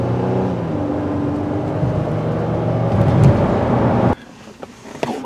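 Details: 2017 Honda Pilot 3.5 Earth Dreams GDI, after replacing the fuel injectors that had set rich and imbalance codes, warmed up to 185°F: steady, even idle with no misfire stumble and a constant note, so it runs smoothly.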